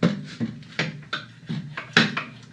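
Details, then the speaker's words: Yard Machines 8 hp Tecumseh 26-inch snowblower found abandoned, engine turned slowly by hand with pliers: irregular hollow internal bangs about every half second, then catching; something sticking or hanging up, possibly in the pull starter, unconfirmed. "hear that something something's banging so could be something sticky and it needs lubrication and it's hanging up"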